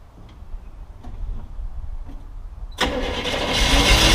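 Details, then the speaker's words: Jeep CJ-7, started on fuel poured into the carburetor in cold wind. A few clicks, then it catches and runs rough, stumbling at idle with a dead cylinder. Misfire from a disconnected spark plug wire. "thing almost idles it misses a bunch but it's starting"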